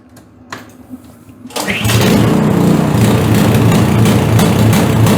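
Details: PowerSmart DB7006 snowblower after slight idle screw tuning: a pull or two, catches and settles into steady even run with no misses or surging; running pretty decent.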